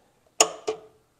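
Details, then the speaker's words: Brimstone flame robot flame control system, igniters not working: two crisp clicks a quarter second apart in a quiet room; flame gas solenoid switches fine, fault suspected in igniter itself. "Oh, okay. So, the solenoid one works fine."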